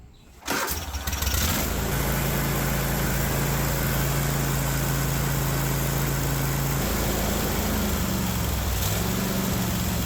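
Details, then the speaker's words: Kohler 24 hp SV725 engine on a Cub Cadet 1050 Hydro with 52-inch deck, after carburetor work: it starts and holds a fast, steady speed that never drops to idle. The governor won't let it idle. "[Music] yeah the governor is not even letting it go down to idle I'm not understanding why perhaps we have a linkage or two out of place"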